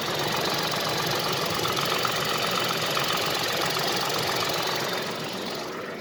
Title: Tata Altroz xz engine noise after 10000 km.